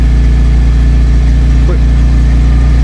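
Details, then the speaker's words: Vauxhall Cavalier Mk2 with newly welded exhaust and no back box fitted: steady deep idle with a smooth, even rumble and no rasp or blowing chuff; far better than the horrendous sound before. "So let's start it up and see what it sounds like. Damn sight better than what it did before. It sounded absolutely horrendous before."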